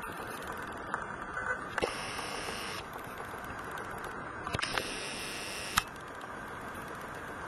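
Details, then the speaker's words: Canon PowerShot ELPH 310 HS video recording: a few sharp, faint clicks at irregular moments over hiss, probably the lens mechanism ticking into the built-in microphone. "testing one two three trying to see if i can hear some clicking noises which i find very annoying"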